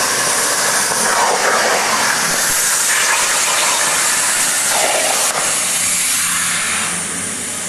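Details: Hypertherm MaxPro200 on a CNC plasma water table cutting 12 mm steel; loud steady high hiss and roar through the cut without sputtering or breaks, normal plasma cutting.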